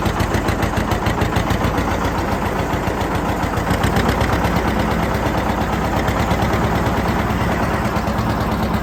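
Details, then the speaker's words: John Deere 730 two-cylinder tractor pulling an RWA disk in the field: steady even putt-putt firing beat at constant pace under load, no misses or knocks, healthy. "i'll take you down the road here a little bit let you hear it run and operate"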